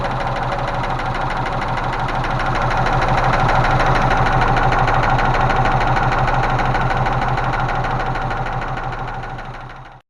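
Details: Range Rover Classic 3.5 V8 idling: steady, rapid, even tapping about three a second; hydraulic lifter knock, suspected near cylinders 7–8; intake manifold cleaned, gaskets cut, radiator soldered; lifters later found sinking in cylinders 8 and 5.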